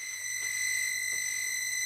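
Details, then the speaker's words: Tiny house heater blower fan on firing up: steady piercing high squeal and grinding that doesn't let up; one fan bearing worn and grinding. "it is screaming so obviously one of the bearings in there is a little nasty grinding away as you can hear"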